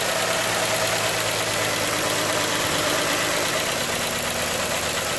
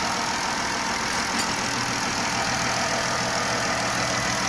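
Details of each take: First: 3.6 Pentastar V6 van idling before repair: quick, steady tick over the engine hum from the rear head (bank one), caused by a broken roller rocker arm; fixed by replacing the rocker and camshaft. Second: Chrysler 3.6 Pentastar V6 van after replacing the camshaft (used) because a failed rocker arm caused ticking on the rear bank (bank 1): even, steady idle with a smooth hum and no tapping from the valve cover; healthy.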